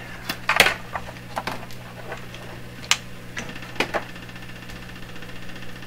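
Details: Canadian Marconi Model 93 tube radio under troubleshooting: steady low hum with irregular crackles and pops heard on the signal tracer. This is electrical interference often heard in the shop, source not yet found, that often comes through radios.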